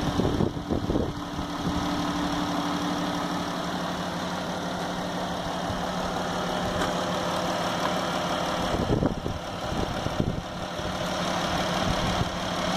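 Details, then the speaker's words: New 2016 Dodge Grand Caravan 3.6L VVT V6 with 7,000 miles, idling; quiets down about 20 seconds after start, leaving a faint slow ratcheting/clicking tick and no knock; normal valvetrain ticking. "you can hear you know about 20 seconds into starting up it it really quiets down there is like a ratcheting or a clicking but it's pretty quiet pretty"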